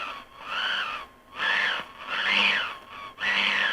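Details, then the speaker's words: Sony ICF-5500M Captain 55 radio on external supply; warbling whistle sweeping up and down about once a second, recurring every 200 kHz; suspected switch-mode power supply or high-resistance feedback capacitor, not confirmed. "still got the whistle though you can hear that also sounds to me like it's a problem with the feedback capacitor thing"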